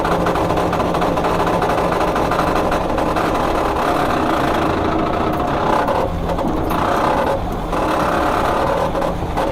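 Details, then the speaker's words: 1972 VW Super Beetle that sat 30+ years, engine now running well; in gear there is a dense mechanical whir and clatter from the transmission. The old fluid was sludge and was replaced, and the cause is still unknown. "I have no idea why the transmission's acting up. I tried looking at it. I put new transmission fluid in it. Originally, the transmission fluid was like sludge when I took it out. So whenever I put it in gear, it'll sound like this."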